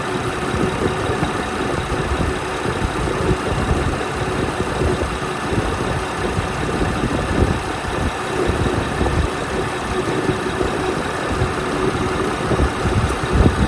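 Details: Car engine with suspected valve or camshaft noise, found to have a leaking, failed timing belt tensioner that let the belt go slack, needing a new tensioner, pulleys, belt and water pump: a steady idle with an even low rumble and a faint busy top end.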